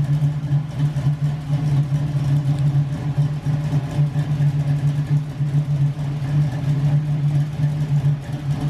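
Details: LS-swapped Camaro with big cam, first drive after transmission rebuild, brakes weak: deep, uneven loping idle with steady low rumble and a rhythmic swell in the beat; healthy big-cam V8 running fine.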